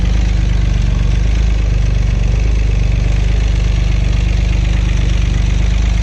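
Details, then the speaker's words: Acura 3G TL Type S J35 V6, second startup after front cylinder head resurfaced and reinstalled: deep, uneven, lumpy stumbling idle; owner suspects rear head gasket also blown, or front still faulty. "I'm guessing there's either the rear head has a blown head gasket too, and I thought by just checking compression on the rear, oh, it'll be fine."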